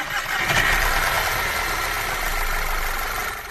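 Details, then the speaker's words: Car engine after cleaning a clogged oil control valve that starved the VVT and timing chain, causing rattle: cranks, catches and settles into smooth idle with no chain rattle; noise gone, normal idle. "异响声消失，完美解决此故障。"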